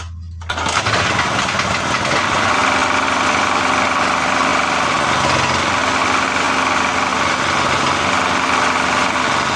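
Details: A small generator that was misfiring, probably because the spark plug gap was too close, after regapping the plug and restarting: it fires up and settles into a steady, busy run with no obvious stumbles.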